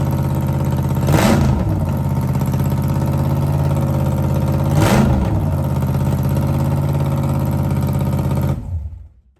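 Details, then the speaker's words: Blown 1957 Chevy gasser V8: a lumpy, deep idle with two quick throttle blips that rise and settle cleanly before shutdown; sounds healthy. "Sounds good. Sounds [snorts] healthy. Sounds like I should have took it last night."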